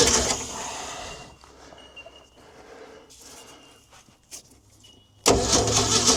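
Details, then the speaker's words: Old Ford D Series petrol fire truck started for the first time in 16 years: the starter grinds, then a few ragged, uneven bursts before it dies back; misfiring start, suspected stuck valve, flooding or lost spark. "She's got a valve stuck. She's having a sneeze out there, but she fires up, she might clear."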